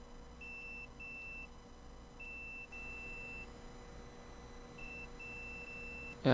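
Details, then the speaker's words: Toshiba laptop hard drive, likely 1 TB, dead, not detected in BIOS; multimeter in continuity mode on the PCB gives steady high-pitched beeps, showing a short to ground on the board, cause not yet found. "Yep, you can hear it. Yeah, so there is a short. Definitely there is a short. So basically there is a short on the board, and we need to find out what's causing that."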